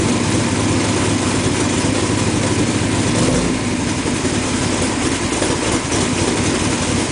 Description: One of my plugs wires gave up so installed new plugs and wires. Initial start-up on the lift.